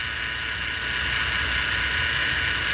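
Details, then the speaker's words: Ford Flex at quiet idle, before a power steering flush: a constant high-pitched whine, steady in pitch, from a tired power steering pump. The noise is mild, and the owner believes only replacing the pump will cure it. "now the noise isn't even that bad it's not really a problem I would just drive the damn thing and I know for a fact that if I truly want to get rid of that noise for good I'm going to have to replace the power steering pump"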